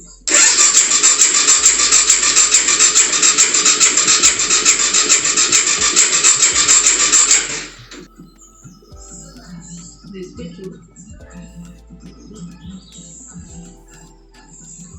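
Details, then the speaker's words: 2004 BMW F650 GS Twin Spark Adventure 650cc single, revived after long storage: about seven seconds of steady fast even cranking with high buzz and regular ticks, but engine never catches; crank no start, low or bad battery suspected. "okay we just found out starter motor works and the engine cranks over"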